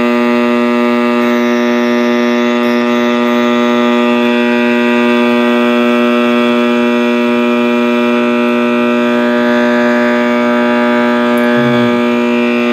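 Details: 1960s General Electric black-and-white tube TV, back off and plugged in while warming up: loud, unbroken siren-like howl from the speaker on one steady pitch with a buzzy hum beneath; audio fault, cause unknown.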